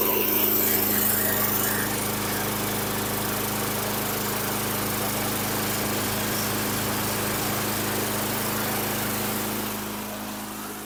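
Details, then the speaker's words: 1995 Tough Block (Kmart) 5hp self-propelled mower, AYP RBSP225QA, engine 129802-0894-01, found with no air filter: single-cylinder engine buzzes steadily and keeps running with plug wire removed, fading only near the end; kill switch not stopping engine. "to remove the wire and it still didn't kill it so I don't know what's going on over here"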